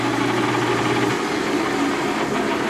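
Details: Old horizontal milling machine, quieter since being run: steady, even hum with constant mid-pitched drone, no knocks or grinding; normal running.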